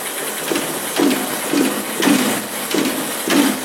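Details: Honda Verza 150 single-cylinder motorcycle idling: uneven rattly clatter about twice a second, rough and loose, from a noisy worn clutch.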